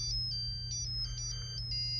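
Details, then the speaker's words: Early Bally solid-state pinball sound board being diagnosed with a logic probe on U5 pin 12; a high, clean probe tone hops between two pitches every few tenths of a second: normal pulsing signal. "oh listen to it it's saying showed it showed it showed it out"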